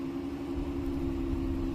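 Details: Dodge Caravan idling steadily after a no-power, no-start fault was fixed by cleaning a dirty battery terminal connection: low even hum with a smooth rumble, no misses or knocks, normal idle.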